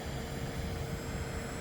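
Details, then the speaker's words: Pentium 4 3.2GHz Prescott PC with an EZCOOL 400W ATX-400 JSP power supply drawing about 116 W per the BIOS: a thin, steady high whistle above the fan hum, like it's about to pop. Power supply coil whine. "Whistling noise it's like it's about to pop definitely coming from this power supply and I'm going to switch it off"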